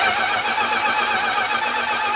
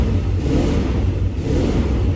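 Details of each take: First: 1965 Plymouth Barracuda, original 273 V8, 138k miles, off the road since the mid-1990s, cranking with new spark plugs; fast even starter cranking about four beats a second, no gallop, compression sounds balanced. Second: 1965 Plymouth Barracuda, original 273 V8, four-speed, 138k miles, off road 28 years; lumpy, loping uneven rev with missing pulses, heavy smoke, fairly low but even compression; misfire from plugs fouled by very rich mixture, timing needs advancing.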